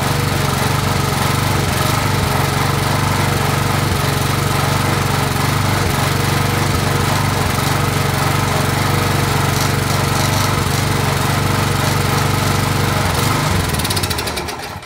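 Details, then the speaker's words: Junk-picked Craftsman (MTD) steel-blade edger, Briggs 3.5 hp single-cylinder, first run after revival: steady even beat for about fourteen seconds then shut off; runs smoothly, normal running. "There we go. Sounds good. So probably could use a little bit more."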